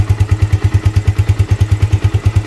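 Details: Yamaha Vixion with lost compression and blinking MIL code 21: even, low thumping idle, steady with no popping or missing.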